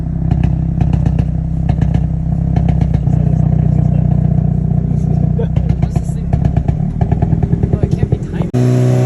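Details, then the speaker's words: Hyundai Elantra N, about 42,000–43,000 miles, stage 2 tune, warm at 1% throttle idle: steady low rumble broken by irregular pops, softer at 5° and louder at 10° timing advance. Idle misfire. "At idle, right? It goes about 10 degrees. You're gonna see it pop. Gonna get that hiccup right there, huh? The little pups, the softer ones are 5 degrees, and then the louder ones are 10 degrees."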